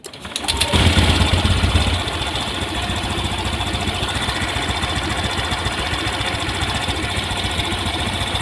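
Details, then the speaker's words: Honda Scoopy FI scooter, still new, idling low at about 1300–1350 rpm after a brief rev, a slow, slightly uneven putter. The ECU has not recorded the altitude mode, so idle is too low; sensors and parts are said not to be faulty. "Sekarang kita lihat putaran mesin di sini berada di 1300 lebih kawan ya, 1350-an."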